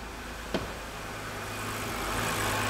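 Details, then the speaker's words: 2011 BMW 328i E93 N52 after engine replacement, first start once a ground issue was fixed, no cooling system fitted: steady, smooth idle with no knocking, ticking or misfire; heavy exhaust smoke, likely from oil blown into the exhaust. Normal idle. "oh yeah baby look at this happy little n52 you can see there's a ton of smoke coming out of the exhaust that's likely because of the uh oil that was blown all in the exhaust"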